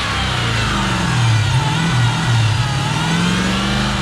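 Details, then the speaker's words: Chrysler 300 Hellcat conversion with Challenger 392 exhaust, after startup; deep V8 climbs and falls smoothly through the revs, strong and even with no misses or knocks; normal revving. "We get that exhaust note again. Check it out real quick. This is a Challenger 392 exhaust."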